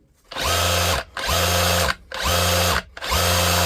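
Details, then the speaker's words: DeWalt DCH273 SDS rotary hammer drill, battery-powered, after full teardown, service and reassembly: four bursts of strong, even, rapid hammering over the motor hum; normal hammer action. "You hear and feel the hammer. That's ordinary drill mode. You can hear the difference between ordinary drill mode and hammer."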